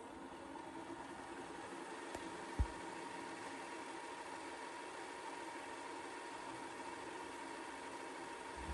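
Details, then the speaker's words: Magnavox DV220MW9 VCR/DVD combo in extended fast forward with a tape: a steady, even whir at one constant speed, one brief click, no squeal or grinding. It doesn't shift to a faster speed; normal fast forward. "there's gonna be a little bit of extended fast forward here so this is fast forwarding it up there let's listen"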